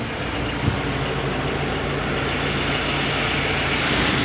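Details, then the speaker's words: Mitsubishi L300 FB with engine running and aircon on, after repair and recharge to 40 psi suction: steady, even run with no droning hum or grinding; the compressor noise is solved and it cools well. "So ayun mga tol, natapos na natin itong FPL 300. Bali na-solve na natin yung ingay na naririnig nila, yung ugong."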